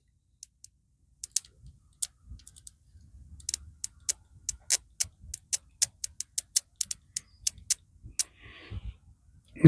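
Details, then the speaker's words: Motorcycle ignition coil bench-tested with power to the coil and one side touched to ground, sparking on each touch, old plug cap found dead: crisp regular snapping ticks about three a second in a quiet room; strong steady spark. "it's going pretty good there. And I might have a cap here."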